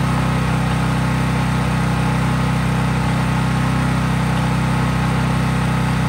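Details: Craftsman 5000 W generator at full speed with only an LED bulb plugged in, effectively no load: constant, even drone with steady low beat, no surging or misfire; normal no-load running.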